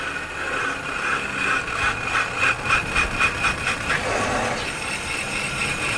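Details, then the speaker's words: Microphone mounted while driving and braking: harsh metallic scraping pulsing with wheel rotation as the car slows; pads likely worn out, damaging the disc if not checked; worn brake pads grinding. "se você sempre dá uma olhada no disse que a partilha não acontece esse barulho que aconteceu aí ó se baralham todo tá provavelmente acabou com diz que a partir de então vou d"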